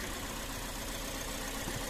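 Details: 2017 Toyota Vios automatic with engine vibration, shaking and stalling, codes P160/P105, engine still cold: uneven shaky idle with a dull drone and faint irregular stumbles, rising and falling around 1000 rpm; rough idle, cause not yet found.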